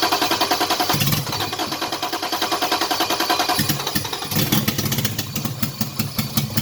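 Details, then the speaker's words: Toyota Cressida with 2JZ engine swap and LQ9 coils, brake cleaner sprayed into intake: ragged uneven firing catches for a few seconds then stumbles out; injectors and coils lacked power from missing harness plugs, so no fuel delivery. "all right as you can see I got the start not for a long time but started under its own power"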